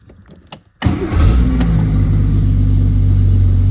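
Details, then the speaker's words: 1968 Triumph TR250 cold start after sitting all weekend, exhaust manifold cold, a little choke: short crank, catches within a second, settles into a steady even fast idle with no misses; temp gauge cold, oil pressure up; healthy cold start. "There we go. Temp gauge is cold, oil pressure's up."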